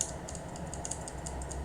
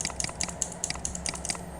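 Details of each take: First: Mechanical keyboard key switch after cleaning (contact spray, desoldering if needed) without replacing the switch. Each press gives one crisp, clean click with no second chatter; the double-click fault is gone: normal key switch. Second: Mechanical keyboard L key switch tested before cleaning: rapid clicks at uneven spacing, some crisp and some dull; inconsistent click sound indicates a dirty switch causing double-click.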